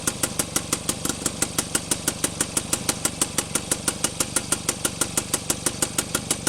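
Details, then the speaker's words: Rebuilt Penguin engine test run, back in forward rotation after trying reverse: even ticking pulse about two beats a second, no misses or stumbles; running smoothly. "and that was reverse so now we'll go back to forward and it's running and forward"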